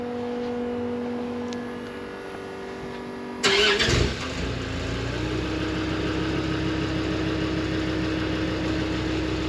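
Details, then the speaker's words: 2004 Land Rover Discovery 2, 2.5 TD5 diesel, automatic, started after replacing the rattling original exhaust (still catalytic converter at front, silencer at rear). Brief crank, then a steady even idle with a deeper, gruntier, lower tone. Normal start and idle. "it does sound a bit more gruny yeah yeah yeah you can here it just saying a bit more bit lower tone"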